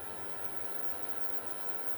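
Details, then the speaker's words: Bluetone induction cooker after repair (tripping breaker, no power), at maximum power drawing high current, heatsink near 23 °C, cutoff set 72 °C; thin steady high-pitched whine over soft hiss, no buzz or crackle, normal full-power coil whine. "tiếng rí từ khá là rít nha"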